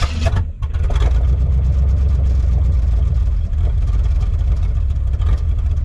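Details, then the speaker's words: 1979 Chevy small block, likely 350, with unchanged oil: V8 idling with a lumpy, uneven beat and dips as cylinders misfire; rough idle. "as you can hear she's real rough island that might have more than two cylinders that aren't firing all the time we'll find out i guess"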